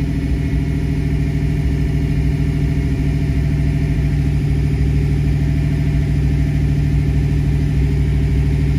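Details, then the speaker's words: Fox-body Mustang V8 (1986–93, EEC-IV) during a cylinder balance test after code reading; fast idle held around 1,500 rpm before the test cuts one injector at a time. Steady, even rumble with no misses or knocks. Normal raised idle. "code reading process is done the engine will idle up to about 1500 rpm and it will deactivate one cylinder at a time"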